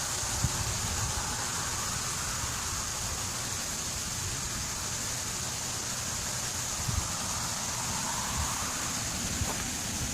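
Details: Ultra-high-voltage (765 kV) overhead transmission lines in rainy or humid weather, steady high-pitched hiss from ionized air around the conductors: corona discharge.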